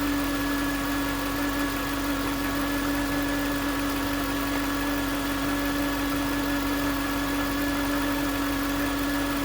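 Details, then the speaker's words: 2009 Range Rover 4.2 Supercharged: steady high whine over an even idle, first suspected to be the supercharger, pinpointed with a mechanic's stethoscope on the alternator housing; alternator replaced. "is case, it's a whine. And you can hear it visibly in the video. And when I touched it on the housing of the alternator. It was obvious that that's where the whine was coming from."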